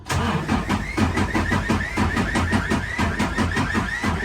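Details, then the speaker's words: 2019 Freightliner Cascadia, DD15 diesel, cylinder head replaced two months earlier, returned for knocking: uneven cranking during compression test, about one lurch a second; cylinder 1 has zero compression, others 81–100%; valves suspected. "We got 0 compression in the cylinder number 1. Number 2 is 89.5. Number 3 is 90%, 100, 84, and 81%. So those are not good numbers. Definitely 0% is concerning."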